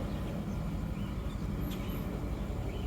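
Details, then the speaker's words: 2003 Honda Civic petrol engine idling with an uneven, lumpy rumble and irregular pulses, shaking more the longer it runs; a rough-idle misfire, found to be fuel injector two not working. "You see you got a misfire coming up. Slowly it's starting to shake."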